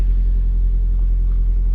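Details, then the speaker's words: Car at 79,699 miles, push-button start, stationary with engine running (rev counter briefly didn't work at start, then fine): deep, steady, smooth idle rumble with no knocks or misses; normal idle. "Okay, so sit here with the engine running. Sounds good, doesn'"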